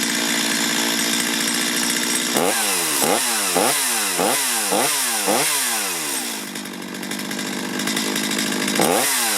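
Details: Stihl chainsaw after carburetor low-side and idle adjustment: snaps up to a high scream on each quick throttle blip and drops cleanly back to idle; crisp response, healthy running after fix.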